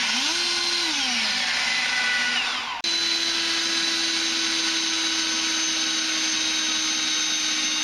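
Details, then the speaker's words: Ego 56V leaf blower on XAVITO 4Ah compatible battery, nearly flat after mower run: high whine sags in pitch, cuts out near three seconds, then restarts; low battery shutting off and on. "now I just turned it on and it sounds like yeah it's winding down the battery is getting so low it's shutting off and then it's turning on again"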